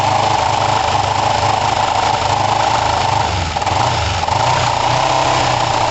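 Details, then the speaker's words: Kawasaki ER5 twin, after carb float height work, with good spark on both cylinders and new coils: an uneven drone with a brief stumble and faint spitting and popping. The owner suspects the carbs; it seems a bit better but not perfect, with a compression test planned. "there was that weird back spit we it does still feel car related to [Laughter] me half feels to me like it's a bit better but not perfect"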